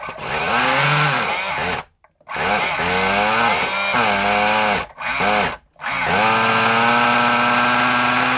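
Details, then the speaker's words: Kyosho Mini Inferno nitro RC engine after priming and a carburetor adjustment: a high buzz that surges and sags, cutting out completely twice before restarting. Erratic running; the owner suspects the glow plug and plans a new one. "all right and the problem is glow plug to be honest and I haven't got another one of them"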